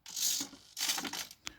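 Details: Small hobby servo with resistors wired in, driving an Iron Man Mk45 back flap: short bursts of high buzzy gear whir as it sweeps back and forth, then a couple of quick clicks; normal servo travel.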